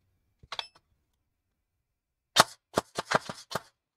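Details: Airsoft AEG with T238 high-end 33K RPM brushless motor, out-of-box RPM: one crisp shot, then a quick string of clean snaps with no grinding or labouring. The gearbox cycles smoothly.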